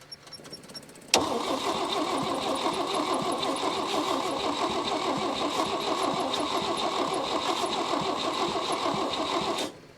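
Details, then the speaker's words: 1961 Chevy Biscayne 235 inline six, three-speed manual, sat in a junkyard 30+ years, fed by external fuel tank and pump: steady even cranking about three turns a second for eight seconds, never fires; owner wonders about timing or a stuck valve. "our timings i wonder if a valve is stuck too all right so we're not getting any any fires"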